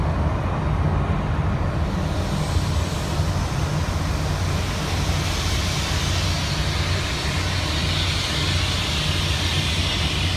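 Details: Disney monorail approaching Magic Kingdom from the Grand Floridian: steady deep running rumble with a rough low throb, then a weird noise before the train stopped; cause unknown.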